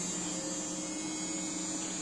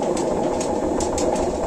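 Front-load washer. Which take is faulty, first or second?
second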